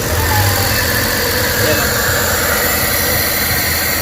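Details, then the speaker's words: Suzuki DA64/DA63/DA17 turbo running after a no-start repair: a steady, even idle held noticeably fast because the turbo intake is still open and the system is not fully reassembled. "Mataas yung menor niya kasi turbo type to naka-open hindi natin pero okay na yan."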